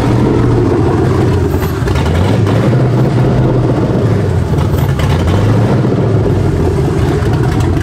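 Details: S550 Mustang swapped with a 7.3L Godzilla V8 and factory MT82 transmission, first start: deep, heavy V8 rumble holding strong and steady through the revs, no knocks or misses; a healthy engine running fine.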